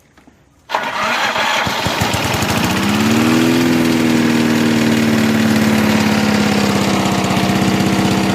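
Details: Free Snapper V212PS 21-inch self-propelled rear-bagger walk-behind mower with electric start, after drive linkage rework: cranks briefly, catches first try, settles into steady even run with no knocks; normal start and idle.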